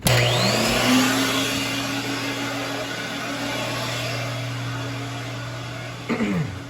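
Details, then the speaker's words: Filtex central vacuum unit, about 100 CFM with sealed pressure over 160 inches of water, compared with a Kirby's 150 CFM: steady strong motor drone, low hum and firm even air rush; working properly. "But the sealed pressure is over 160 inches of water. So this, as you will see, works well."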